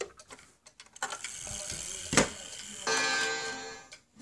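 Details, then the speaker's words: Wall cuckoo clock after its chime hammer was bent and pulled back as a fix; following handling clatter, it strikes twice with clear ringing tones and no buzz or dead thud, so the chime now sounds properly. "it sounds so much better. There we go, it chimed 2 times."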